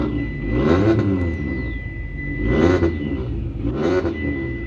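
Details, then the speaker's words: Mitsubishi Lancer with a newly fitted turbo, first start: three smooth rev swells with a faint steady whistle over the top, some oil leaking from a fitting; healthy engine revving. "I hear good noises from that."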